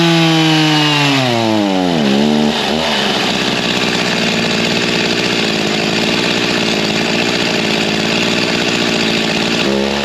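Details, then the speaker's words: G366 chainsaw: winds up, then pitch sags into a ragged, spluttering drone, falling on its face with no power at low speed despite RPM. "even from that half pull we had as soon as it got to the low speed it was not liking anything you could hear it fall on his face made no power even though it was spinning RPM"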